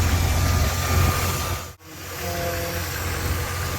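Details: 1978 Lincoln Continental V8 after fan clutch replacement for a squeak at slow idle, worst at startup; short stretch of steady, low idle with an even beat and no squeal heard, engine idling normally.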